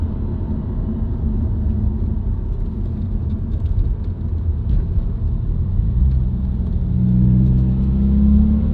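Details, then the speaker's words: New-generation Subaru WRX, recorded inside the cabin while driving: deep droning hum climbing in pitch with road speed, continuing with clutch in and out of gear, not rev-dependent. Dealer-diagnosed broken centre-diff viscous coupler, recorded before repair. "It'll speed up and get higher pitch as I go faster."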